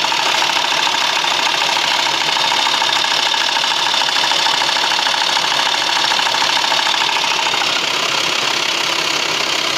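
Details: VW T5 2.5 AXD engine: fast, fairly even metallic clatter at idle, about three per second; noise is worst when turning the steering wheel, cause unknown.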